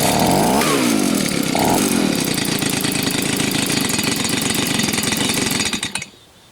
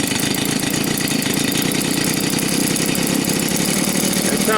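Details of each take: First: Old Stihl leaf blower after carburetor cleaning, during tuning: revs buzz high, then sag, stumble and die when left to idle; stalling at idle, carburetor mixture still off. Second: Old Stihl leaf blower at full throttle after carburetor cleaning and tuning for a stalling problem: loud, even high-revving buzz that holds steady without surging or fluctuating.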